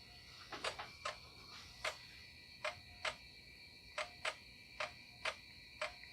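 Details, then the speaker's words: IBM PS/2 L40 SX laptop (1991) after recap, loading install floppy: uneven dry floppy ticks with long gaps, loading very slowly, then rebooting; floppy drive thought to need a proper service. "I think that zombie drive needs a proper service though it's not uh loading as speedily as it should"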